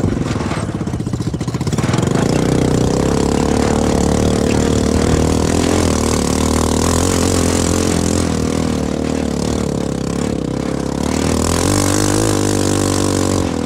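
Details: CFMoto 250cc 172MM GY6 single-cylinder buggy with rebuilt head and old pickup coil spliced back in place of bad new one, desert riding: smooth pull, pitch rising and easing with throttle, no misses or knocks; healthy running under load.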